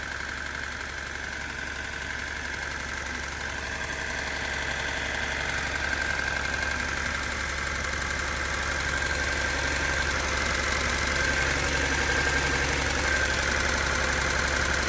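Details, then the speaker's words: Abandoned turbo Datsun 280Z freshly wired and running: steady light ticking about four per second over even idle; owner suspects injectors, unconfirmed. "What do you guys think that sound is? Not over there. I think it's the injectors, but I don't"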